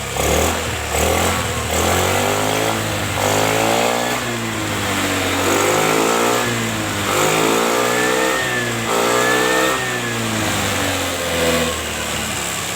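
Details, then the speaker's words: Honda Vario Techno carburetor scooter that wouldn't start from overfilled engine oil reaching the carb, after carb cleaning and correct oil level: smooth, clean revs rising and falling evenly with no misses or knocks; running normally. "Setelah pemasangan karbu sudah, pembersihannya dan olinya sudah saya takar, kemudian kita coba hidupkan mesinnya."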